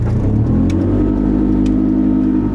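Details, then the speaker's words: Nissan GU Patrol ZD30 diesel with Eaton M90 supercharger, light throttle and load, a couple psi boost off idle: deep loud steady low rumble with blatty edge; very open exhaust without muffler, muffler planned. "Yeah, obviously being very open is loud. It's freaking loud in here."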